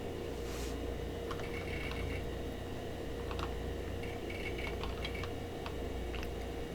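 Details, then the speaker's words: Old DOS PC restarted after the date was reset, hard drive running its boot seek test: over a quiet fan hum, short scattered bursts of quick buzzing head clicks as the heads sweep; normal seek test. "And I don't need to restart, but I'm going to so you can hear the seek test."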